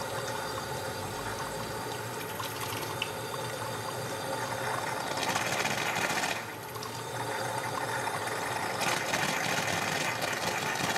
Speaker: notice it sounds like the injector is trying to start but the overflow is still leaking and there is a gurgling sound when the water valve is restricted further the steam air and water that sputter are doing so in a pulse this pulsation is very indicative of an air leak